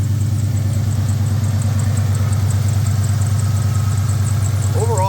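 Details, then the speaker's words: 2003 SVT Mustang Cobra, supercharged V8 with long-tube headers into an X-pipe and Loudmouth mufflers, started on a cold, rainy day: deep loud idle thump with a fine regular puffing tick in time with firing; exhaust leak. "sounds decent [Music] though can hear an exhaust leak not surprising"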